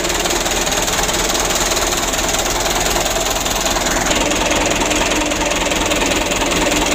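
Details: Mitsubishi Canter 125, 2008, diesel at idle after tune-up with intake refitted (complaint: shaking engine, long cranking, low power); steady, even clatter with no misses or surging, running smoothly.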